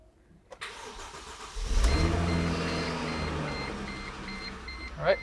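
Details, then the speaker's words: Mercedes C350, first start after fuel pump and sender replacement with a VDO unit, fuel system dry: brief crank, then a steady, even idle with no misfire; new pump audible, no leaks, smells or codes. "I do expect this to crank for a minute because the system was totally dry with all new parts, but should start right up."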